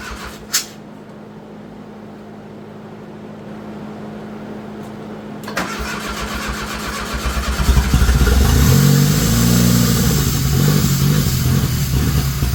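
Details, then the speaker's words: Turbo Dodge Daytona (1985 Daytona Turbo or 1991 Shelby Daytona) with no exhaust fitted: about four cranks a second for two seconds, then it catches and settles into a loud, even open-pipe idle. Normal start without exhaust. "Ain't got no exhaust. Cut the exhaust."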